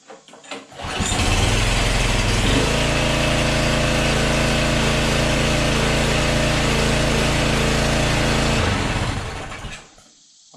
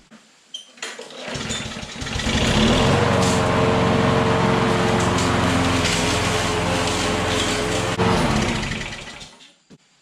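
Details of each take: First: Yard-sale small engine said to have nothing wrong, with oil and a little gas, started with throttle and choke set. Catches within a second or two and settles into a steady, even buzz with no misses; runs healthy. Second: Lawn mower that was tipped on its side, soaking the air filter and intake with oil; run with the filter off, carburetor fine. Steady, even buzz at fixed speed while it burns off the oil; owner expects the smoke to clear.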